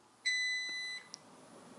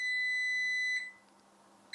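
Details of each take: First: Vitality 1000 ml/min Brown's gas (hydrogen/oxygen) machine started from standby: one long, clean, high beep of about three-quarters of a second, then quiet; it starts normally, output reading about 997 ml/min. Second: Vitality 1000 ml/min Brown's gas (hydrogen/oxygen) machine switched on the first time with its tank completely empty: five long high beeps, about a second each, plus a flashing low-water icon; it needs filling with water.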